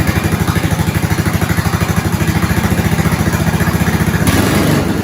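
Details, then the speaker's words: 1970s snowblower small engine after fuel line replacement, started on slow with choke and primes, left to idle: steady, even putter with regular firing pulses, no knocks or misses; normal idle. "Slow, choke on, key on, couple of primes. That sounded good. I'm going to let it sit for a while."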